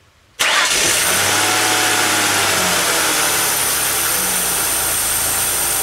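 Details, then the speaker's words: 2002 Mercury Sable petrol engine starting and idling after an ignition overhaul and valve cover gasket job, with a loud steady airy hiss from a vacuum leak near the EGR valve. The vacuum lines at the EGR were misrouted. "a little vacuum leak by the EGR let me fix that"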